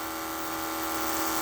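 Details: Electric fuel pump for nitrous system on a Trans Am, steady at 9 psi with 78 jet, no leaks: steady even hum at constant pitch, no surging or rattle; pump running smoothly.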